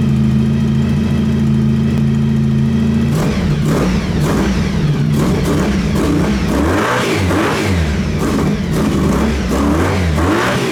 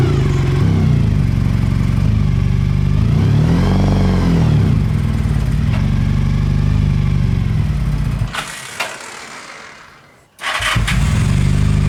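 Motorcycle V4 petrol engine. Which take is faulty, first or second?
second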